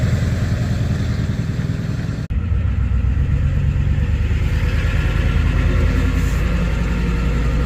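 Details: Ford 7.3 Powerstroke diesel after replacing suspected bad crankshaft position (CPS) sensor for cutting out/no start: steady low clatter holding even rhythm, no stumbling or cut-outs; running normally after fix.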